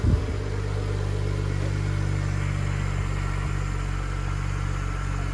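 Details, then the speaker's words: Stock BMW E92 335i, first start in a few weeks after battery install: smooth, steady low hum settling right after start-up, with an even beat and no misses or knocks. Healthy idle. "that's it she's on sounds good for stock this is the first start in a few weeks so we'll let it idle for a bit"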